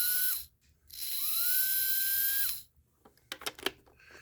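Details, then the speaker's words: Mantua steam locomotive model motor after service: commutator and gaps cleaned, bearings oiled. A high, clean electric whine spins up and holds a steady pitch, running in both directions. Normal running. "runs in both ways so yeah just serviced it oiled it and stuff so one motor down a few more to go"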